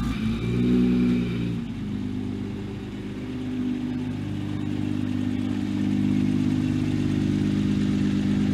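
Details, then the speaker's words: Single-turbo BMW 335i with JB4, first start after about three months sitting: brief lumpy roughness at first, then a steady, even idle with no misses; the idle has smoothed out normally. "And obviously it ran a little rough at first, but listen to that idle right now."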